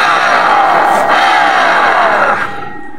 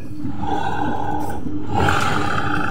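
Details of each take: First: Honda automatic scooter, rear CVT dismantled. A rough gritty grinding as the rear pulley turns under pressure, heard when the scooter is pushed or reversed. The rear pulley bearing is worn and must be replaced. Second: Honda automatic scooter, rear CVT pulley bearing just replaced: a steady, even, smooth drive hum with no grinding or rasp. It is much quieter than the heavy rasping before the repair, and the CVT is running normally.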